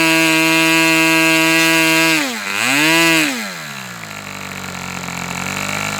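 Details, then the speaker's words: Fox twin-cylinder glow model engine, throttle stops opened half a turn: high buzz sags and recovers, then settles lower and rougher near 3600 rpm as one cylinder drops out, popping back with throttle; low-speed needle to be adjusted two notches. "My tac doesn't record hold the low speed, but I got down to like 3600 and it seemed like this cylinder dropped out a couple of times and that's when I'd hit it. You'd hear it pop back on."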